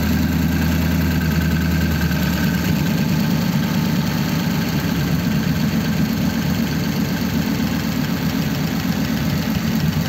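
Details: 1933 5-window coupe, worn "crusty" flathead V8 started after nearly 3 years parked, idling in a closed garage through dual pipes with very short mufflers: even, steady low burble with a soft regular beat and no knocks or misses; normal idle.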